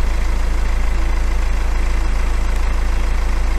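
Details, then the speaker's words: BMW N47 diesel just after a new timing chain was fitted: a steady, even idle with a smooth low beat and no rattle or chain slap; it sounds healthy and better than before. "so it sounds better already"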